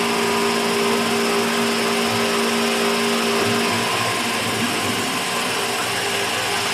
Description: Second half is how it sounds normally when it is not making the noise.